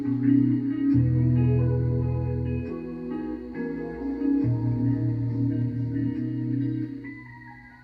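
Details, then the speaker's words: Cheap vehicle cassette radio, previously non-working, after running a cleaning tape through it; music plays steady and clean at the right speed with no wow, flutter or dragging; normal tape playback. "see we took this from a non-working tape deck to a completely perfectly working one"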